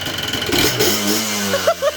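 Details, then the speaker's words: Cold Yamaha Blaster YFS200 two-stroke revs up on a blip, then cuts in and out in short bursts like a two-step rev limiter, stalling and bogging; the cause is a faulty brake switch, fixed by looping its wiring. "So this is the secret to all the issues of your Yamaha Blasters. It lies within this brake switch."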